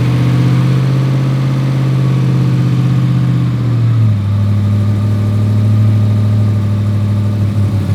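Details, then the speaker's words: Durango with a newly installed Hemi engine, starting and running with good oil pressure: a steady, low, even engine drone that drops smoothly in speed partway through, with no knock or tick. Normal running. "It runs. It runs, and yeah."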